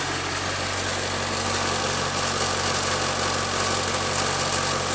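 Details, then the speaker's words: 1999 International 4700 with T444E 7.3 Powerstroke diesel, Spicer 5-speed, first start of the morning, due for oil change: steady even smooth low idle drone, no knocks, misses or rattles; good oil pressure; normal diesel idle. "And yep, it's a good working engine. No complaints. Starts right up."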